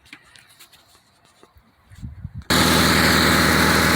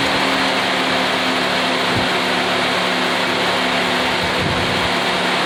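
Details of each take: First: 2006 Mitsubishi Outlander at start-up: the engine catches with loud, rapid puffing and hissing at each firing pulse, coming from the leaking exhaust manifold gasket. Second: After exhaust manifold gasket replacement: steady even idle, smooth low hum; leak sound much reduced, slight hiss said to disappear once fully hot.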